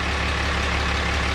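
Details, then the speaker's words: 2016 Ram 3500 dually at idle: even low pulse with a faint rattle that comes and goes and has been present since new. It is not the AC compressor, idler pulley or EGR; source still unknown, intermittent idle rattle. "this truck has made that since day one it's not an AC compressor it's not an idler pulley it's not an EGR thing"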